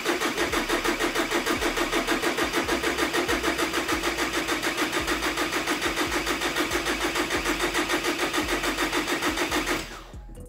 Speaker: ihr könnt auch hier von dem Common Rail und den Trail einmal den Sensor hier einfach den Stecker einmal runter nehmen dementsprechend wird das Fahrzeug jetzt nicht starten sondern nur Orgeln